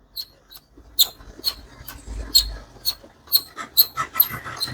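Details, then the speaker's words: ASUS laptop overheating because the cooling fan would not spin: sharp, high chirping squeaks about twice a second, like a squirrel, as the stiff fan is turned by hand. Dry, seizing fan bearing. "மாதிரி sound கேக்குது பாருங்க. அணில் கத்தும்ல அந்த sound கேக்குது."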